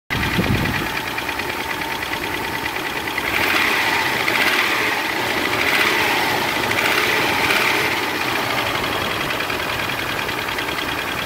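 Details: 1997 Toyota 4Runner with 5VZ-FE petrol V6, just started: light, quick ticking over the idle. The same noise continues at operating temperature, and the engine runs strong with no other problems. Cause unknown.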